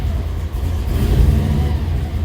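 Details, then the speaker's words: 1955 Chevy with Holley EFI, warmer restart while tuning: the idle swells and sags over a second or so instead of holding steady. Hunting idle; a small vacuum leak is suspected. "Yeah, I kind of figured bouncing. Yeah, I'm thinking we have a small vacuum leak."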